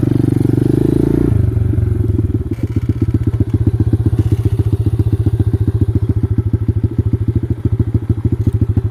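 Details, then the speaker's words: X-PRO dirt bike single riding on muddy ground: thumping at low revs with uneven, lumpy beats and no clean pickup; rough running, owner suspects the carburetor, not confirmed. "I don't know why my damn carburetor is acting like this."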